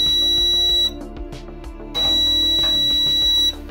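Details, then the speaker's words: Maytag dryer whose heating element stays on when the drum isn't spinning: a multimeter continuity check beeps twice, showing the element coil touching the housing. Heating element shorted to housing. "an already tell by listening to it it sounds like it's touching we don't want this to be in Conta contact with this so we can test that without even removing it"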